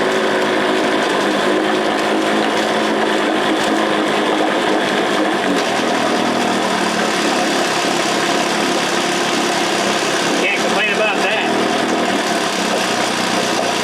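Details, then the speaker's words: Johnson 9.5 hp two-stroke outboard, roughly 1966–1972 (listed as 1969), first start after carb kit fixup, on choke, low-speed not yet set, no load: steady buzzy idle, no misses; a little smoky but runs half-decent, final tuning needs load on lake. "well it's a little bit smoky but you can't fault it for that seems to run half-decent"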